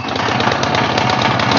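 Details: Philking inverter welding generator, gasoline, manual recoil start, choke on, fires right up and settles into a quick, even chug with no misses or knocks, output reading 231 V; running normally.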